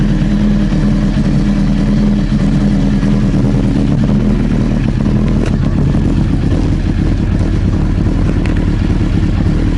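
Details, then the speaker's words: Honda CBR 900 Fireblade with airbox and tank refitted after diagnosing running issues: deep, even four-cylinder burble settling into steady idle, no misfire, popping or backfiring; starts and runs normally. "Right, well I think that's it. Nothing really to say really. I think it is all sorted with minimal fixing."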